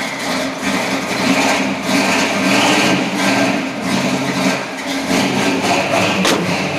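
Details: 1966 Ford Galaxie 500 cold start after adding a ground to the negative battery terminal: engine catches and settles into a steady, fairly even low idle with no misses or knocks; running normally.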